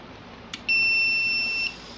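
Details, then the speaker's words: UPS after power module kit replacement: single one-second beep on power-up, 230 V output present but no battery indication, traced to loose ground wire; UPS startup beep, no battery indication. "तो दोस्तों ये स्टार्ट तो हो गया है लेकिन ये 230 वोल्ट भी आउटपुट आ रहे हैं लेकिन बैटरी की इंडिकेशन नहीं आ रही।"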